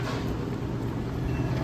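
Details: Electro Freeze machine after barrel pressure switch replacement: constant low mix pump motor hum, no knocking or grinding; pump running normally building barrel pressure until new 30 psi switch stops it.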